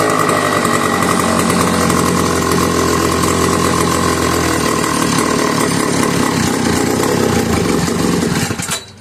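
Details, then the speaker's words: McCulloch 1-52 chainsaw clamped in vise, restarted warm with a little fuel after earlier hard start: screaming high revs with rough rattly two-stroke note before cutting off; heavy smoke. "So I'm gonna run it anymore. I got to clear out the smoke, move some stuff off the bench."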